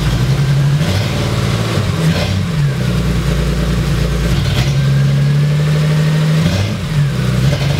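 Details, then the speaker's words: 1980 Toyota Celica Supra barn find, started after years of sitting, with its catalytic converter stolen; loud raspy exhaust drone with a lumpy, uneven idle and revving. Loud exhaust from missing catalytic converter. "reason that so loud is the guy we bought it from he said he had it sitting out on the street and somebody actually climbed under it and stole the catalytic converter"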